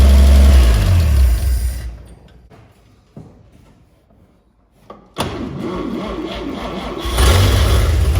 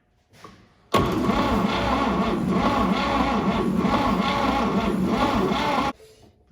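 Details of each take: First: 1950 Chevy 3100 pickup, first start in 35+ years: cranks, stumbles and cuts out, then catches and settles into a steady low rumble; it runs, but worn points make it shut down after a few minutes. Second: 1950 Chevy 3100 pickup, first start in 35+ years, floor starter button: steady cranking about four beats a second for five seconds with no firing; turns over but won't start, ignition suspected, spark found afterward.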